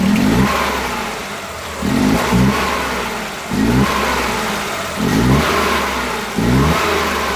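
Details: Suzuki Multicab F6A small petrol engine blipped repeatedly at about 25% throttle: rough shaky rises with random "tak...takatak...tak" and engine vibration from misfire.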